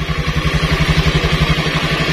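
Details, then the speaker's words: Old carbureted Honda Scoopy scooter whose starter was rewired directly, bypassing the CDI; before, pressing the starter only clicked like a weak battery. The starter now lifts the engine at once, and it idles at an even eleven pulses a second; normal. "Oke, di sini bisa didengarkan kalau suara starter untuk fungsi dari starter ini normal, langsung bisa ngangkat."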